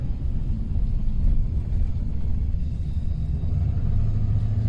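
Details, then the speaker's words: 2008 Chevrolet Silverado 2500HD 6.6L diesel 4x4, 300,000 miles, slowing down; a steady low rumbling hum stays audible until it stops, identified as noise from unevenly worn tires. "yeah yeah that's tire that's tire all day dawg and you will normally hear that until you come to a complete stop"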